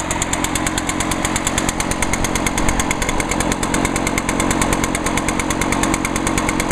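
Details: Echo blower, two-stroke, used all winter, started on one pull after choke and five primes; crisp, even buzz at steady high revs, regular firing, no stumble or rattle; healthy.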